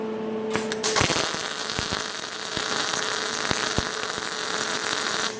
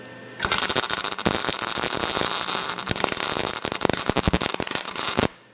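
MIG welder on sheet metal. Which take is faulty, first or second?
second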